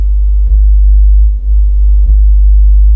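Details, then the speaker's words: Assembled amplifier with hum on the subwoofer channel: a steady low mains hum with brief dips when the metal body is touched, attributed to ground looping and an ungrounded chassis. "यह एक assemble किया हुआ amplifier है, यहां समस्या subwoofer channel से हम्म की है"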